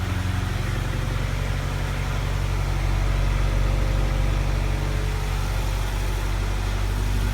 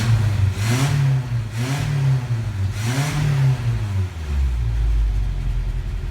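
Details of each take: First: 1987 Toyota 4x4 22RE with an Engnbldr Street RV head (larger valves), first start after reassembly: even idle with a light, fast ticking over the low rumble. Typical valve lash noise for this engine; valve adjustment is being considered. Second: 1987 Toyota 4x4 22RE with an Engnbldr Street RV head (larger valves), first start after reassembly, header with cat: three quick throttle blips climb and drop back cleanly, then a steady idle; healthy, crisp.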